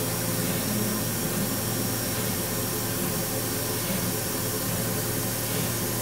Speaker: без материала сейчас только линзу почищу привески без материала не появляется никакого постороннего песка проверяем